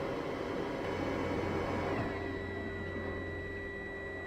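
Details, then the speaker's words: Narrowboat Webasto diesel heater after fuel filter cleaning: steady fan and burner hum, then the fuel pump ticking stops as the heater shuts itself down on a fault from air drawn through the filter with the fuel. "Yep, sounds like it's shutting itself down because it sucked in air through the filter. Okay, so that's the Webasto shut down because it's detected a fault, which in this case is the fact that there's some air coming through with the fuel."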